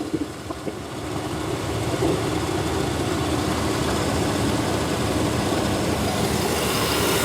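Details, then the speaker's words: 1993 Chevy 1500 V8 started after sitting 16 years, new battery, warm morning: a couple of catches at start-up, then an even steady idle rumble with no knocks or misses; smoking from added mystery oil, no leaks; normal idle. "Power in sounds good. It's smoking from all that mystery oil that I put in it. All right. I see no leaks."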